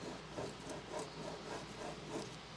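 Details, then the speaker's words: Porsche 986 Boxster front wheel bearing turned slowly by hand with axle nut loosened: gritty, very crunchy rough grinding repeating each rotation, previously notchy and hard to turn; heard driving as a wah-wah from the front; worn front wheel bearing. "I hope you guys can hear that okay, but it is crunchy, very, very crunchy. Unfortunately, it is moving a lot more smoothly now that there's no tension on this axle nut, but it was actually straight up just being notchy before."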